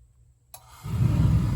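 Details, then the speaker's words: Residential gas water heater after pilot-out service call with error code 7 and gas valve replacement, relit: sharp click, then soft low whoosh building into steady roar as main burner lights cleanly and holds; normal main burner ignition. "Houston we got ignition beautiful"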